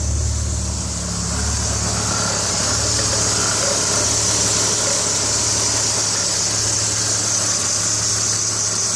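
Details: BMW 330i idling, not responding to the accelerator pedal: uneven idle with an irregular stumble about four times a second over the engine drone; misfire from moisture on the ignition coils and bad spark plugs.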